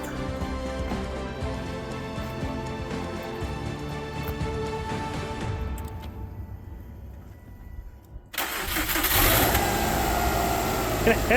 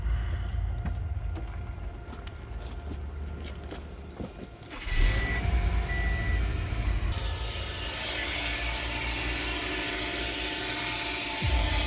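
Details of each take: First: 2006 Subaru Impreza WRX after replacing bad serpentine belt tensioner: engine catches cleanly after short crank and settles to even idle with no squeal or chirp from the belt side; noise fixed. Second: 2006 Subaru Impreza WRX idling with a dry, uneven chattering rattle at the front of the engine, suspected alternator or AC compressor at first. It turned out to be a worn serpentine belt tensioner bearing.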